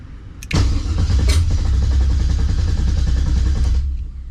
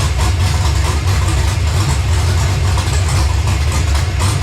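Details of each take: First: 1970 Monte Carlo LS swap, ACES Jackpot LS EFI initial startup, second attempt with a little throttle. Steady fast cranking about four beats a second, engine never catches; fuel pressure 58, system still creating its map tune. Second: LS-swapped Monte Carlo on an ACES Jackpot LS EFI system, first startup: deep, choppy V8 idle with a steady lumpy lope and no knocking, a healthy big-cam idle.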